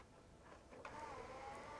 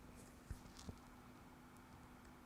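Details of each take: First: PS4 console found on a rubbish pile, after hard drive replacement: soft motorized whir as a game disc is drawn in, then a rising spin-up tone; the disc drive loads normally and ejects smoothly. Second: Roadside-found PS4 hard drive heard up close: faint hum with sharp clicks about every second as the head tries to read data three times, moves off and returns; read/write head error, failing hard drive.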